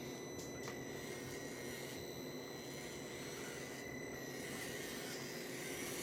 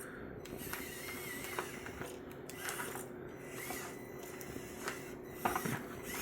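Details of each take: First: Meus MB18 RC crawler after upgrade to an Injora 180 Pro 48T motor, aluminum gearbox and 40.3:1 low-range steel gears: faint, steady motor and gear whine at a much slower, even crawl; healthy and unstrained. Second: Meus MB18 RC crawler with a new Injora 180 Pro 48T motor and 40.3:1 low-range steel gearbox: steady motor whine with irregular sharp clicks and ratcheting as it binds up; the front drive shaft broke, leaving two-wheel drive.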